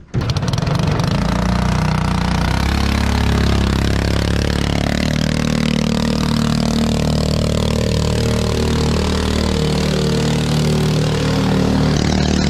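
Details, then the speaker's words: 212cc 6.5hp Honda-clone four-stroke driving a homemade jet unit on the river: loud rough drone that surges and stumbles as it revs out with no load pickup; the engine is spluttering and considered worn out. Engine spluttering. "as you can hear on that one i was spluttering and carrying on it's it's just done"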